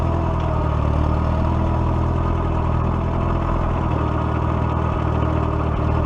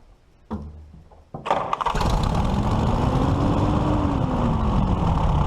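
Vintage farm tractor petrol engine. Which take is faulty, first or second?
second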